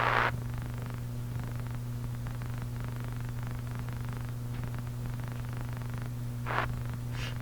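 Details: National HRO-500 communications receiver on its internal power supply, line voltage low (about 105 V), supply output unstable: steady low hum throughout with noise at the ends; supply hum suspected, cause unconfirmed.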